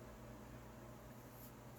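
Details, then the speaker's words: Loud constant whooshing hum from a Dell Inspiron 570 desktop (AMD Phenom II X4, MSI GTX 960), CPU fan at 1800 RPM and exhaust fan at 1000 RPM; graphics card fans off in passive mode. "1800 RPMs, and the exhaust fan is at 1000. That's why you probably can hear it in the video, like it's loud."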